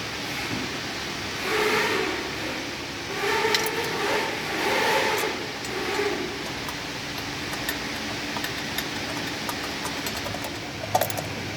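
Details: Nissan Kicks (2019–2022) rear wheel bearing check while driving: only even tyre and road rumble, no droning hum rising with speed, so the rear hub bearing sounds healthy.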